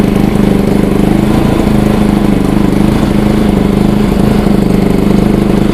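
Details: Bajaj Pulsar NS200, idle about 3 months, now running after battery replacement, petrol added and the water-carbonised kill switch cleaned: steady, even single-cylinder putter at a stable idle with no misses or surging; normal idle.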